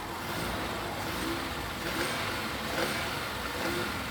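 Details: Cheap used car after new exhaust and clamp fitted, first start, in neutral with handbrake on, mic under the car: engine note rises and falls through a few blips with no puffing, ticking or rasping; exhaust sealed, normal.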